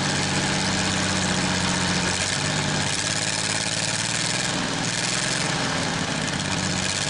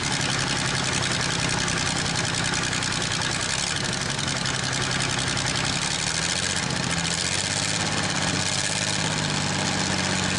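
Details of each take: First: Worthington tractor, Chrysler industrial 218 flathead six, first start in decades: idling steadily on all six cylinders after picking up, with hiss and clatter; water pump bad and rattling. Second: Worthington truck/tractor six-cylinder first start in decades, running on all six at idle with a light rattle from a bad water pump.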